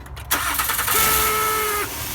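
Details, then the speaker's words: Honda: steady nasal buzz during repeated start attempts from the failing starter motor, located on the transmission behind the dipstick next to the ground wire; fix is replacing the starter. "Alright, so that noise is the starter."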